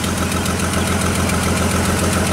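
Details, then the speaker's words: GM Trailblazer (stall/no-crank case), running after PCM power and ground checks: an uneven, stumbling idle with a periodic shake from one dead cylinder. The amp-clamp scope shows a missing ignition coil event. "she's turning up that's a misfire okay gives me pop there and take off swap coils around"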